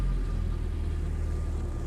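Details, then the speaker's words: Willys jeep built as 1943-style, pulling away gently in first gear: low even rumble, no knocks or misses; smooth, healthy engine under light load, steering straight hands-off. "see very smooth very nice nice and gentle the steering hands off it's not moving or doing anything like that"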